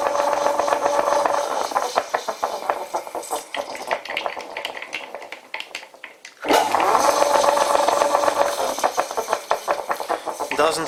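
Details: Old WW2 Fischer lathe converted from flat belt to v-belt, pulley halves bolted together, belt slipping slightly on motor pulley: uneven clattering rattle with whirring, coasting down then restarting; rough-running gearbox, cause unclear.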